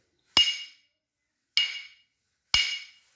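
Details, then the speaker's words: Grinding wheel ring test, power off, wheel suspended and tapped lightly: three taps each giving a clear, high metallic ring that dies away cleanly with no dull thud, meaning no hairline crack; wheel is sound. "जब टंग करके आवाज़ आए, metal जैसी आवाज़ आए, इसका मतलब ये सही है।"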